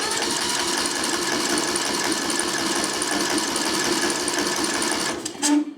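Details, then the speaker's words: Craftsman LT1000 riding mower, sat outside for years, full throttle, auto choke: steady rapid starter chugging for five seconds with no firing; crank no start, fuel not reaching engine. "I think what I'm going to do is go ahead and take this carburetor off and then just stick my fuel in here and bypass that carburetor"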